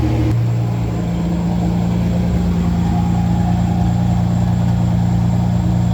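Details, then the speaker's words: 1988 Ford Bronco II with 2.9 Cologne engine, after fuel filter replacement: low, steady idle hum with a faint irregular pulse; idle still uneven, cause not yet found, though revving response improved. "The only thing left is to fix that idle. I feel like there is something going on with the idle there."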